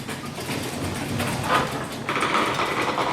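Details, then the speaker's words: Garage door after maintenance with silicone lube on the spring pulleys, lowered: a rolling rumble, then a thin, steady squeak partway down. A creaking hinge on the door is suspected. "oh i'm hearing a little bit of a creek which hinge was that i think it was this one"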